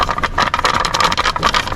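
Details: Audi A1 running on a ramp, driven in gear: fast uneven metallic rattling from a loose underbody part with play even when screws are tight.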